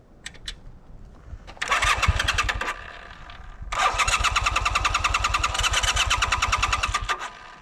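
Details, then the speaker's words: 1982 Honda CM450 twin, first run in seven years, fed from a makeshift bottle fuel tank on a test ride; fires in ragged bursts, catches briefly, then stumbles and dies; engine breaking up and stalling, cause not known. "oh no it started breaking up and then it turned off all right"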